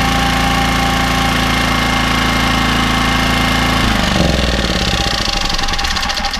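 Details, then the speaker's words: Small single-cylinder generator, just restarted after its badly fouled carburettor was stripped and cleaned, off choke, runs steady and even with a clean drone, then the note shifts as it settles; running sweetly. "hey ho look guess what that fired up and that donut run sweet actually so that's now off choke I believe"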